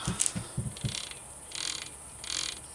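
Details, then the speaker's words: 753 starter generator refresh, brushes cleaned and reinstalled; short bursts of dry ratchety clicks then a light whirring scrape; owner suspects the oddly worn brushes riding on the commutator cause the clicking. "Brushes are also worn weird. I think it's still going to be alright. It might still make noise, but it'll be fine."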